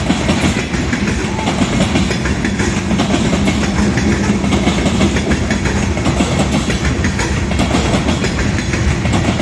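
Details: Southbound CSX freight at South Beech Street crossing, Oxford, OH, passing at speed: loud rough rolling roar with uneven wheel clacking; onlookers suspect a bad spot in the track, likely a rail joint.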